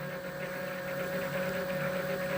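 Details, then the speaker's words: E-bike motor with newly wired controller, assist mode 1, pedal-sensor simulator turning: steady mid-pitched hum at constant speed whatever the pedaling rate, no knocks or grinding; working normally. "Que je pédale plus vite ou moins vite, ça ne change rien. J'ai toujours le moteur qui tourne à la même vitesse puisque je suis sur le mode 1."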